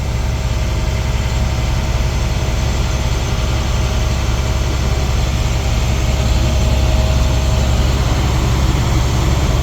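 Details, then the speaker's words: Diesel school bus engine held at about 1,500 rpm to build air brake pressure (governor cuts in at 100 psi, out 120-140) during Class B air brake test: steady, even low drone with no knocks or misses; healthy. "So to kind of help this along a little bit, I'm going to give it some RPMs. Bring it up to about 1,500. That's a nice safe number."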